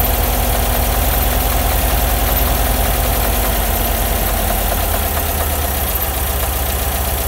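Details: Bus air-cooled engine at idle with a loose, uneven ticking of roughly two to three beats a second over the low rumble; engine noise at idle, source unclear.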